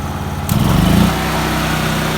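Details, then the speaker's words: Portable generator with fuel valve turned off, set to high to run carburetor dry for storage: steady even high-speed drone with no misses or knocks; normal high-speed running. "just turn on high and let it run out. And it'll run for a couple minutes, and then you're going to see it's going to die."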